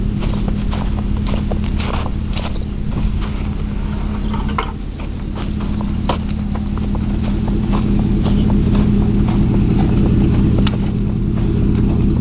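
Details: 2000 Chevy 4.8 V8 truck given a light rev with four coils deliberately unplugged, running on four of eight cylinders; lumpy, uneven thumping with missed beats that stays rough as revs climb.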